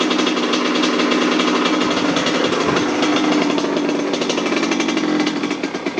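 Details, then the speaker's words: Kawasaki KX100 two-stroke after a DIY top-end rebuild with new cylinder, run through break-in cycles: two at under half throttle, third barely into the power band; crisp, even ringing buzz at light steady throttle, no knock or rattle; normal running. "um I took it for the first cycle which is 10 minutes twice under half throttle and I just did the third cycle which is basically barely hit the Power Band so Steve it sounds good to you bye"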